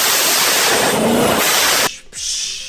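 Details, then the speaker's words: Ford Mustang GT Coyote V8 with belt-driven ESS centrifugal supercharger: loud rush of air cutting off sharply then a shorter puff when letting off throttle; normal bypass venting. "At idle, this thing will chirp. It's a weird noise. I'll put a clip of it in. And then when you're letting off throttle, it goes psh."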